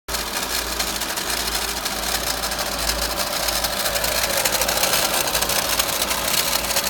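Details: VW Golf Mk5 1.4 TSI 170bhp, 66,000 miles, at idle: dry, uneven metallic rattle about eighty a minute; owner traced it to the water pump (magnetic clutch) after ruling out alternator pulley and timing chain.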